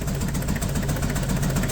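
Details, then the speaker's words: Nissan Big M, BD25 diesel, shaking lumpy idle, barely starts, heavy smoke; injector disconnect test shows cylinders 2 and 3 dead, only 1 and 4 working; misfire. "ก็มีอาการเครื่องสั่นนะก็เดี๋ยวไปดูกันสั่นเยอะเลยแหละสตาร์ทแทบไม่ติดเลยติดก็สั่นมากอย่างงี้เลย"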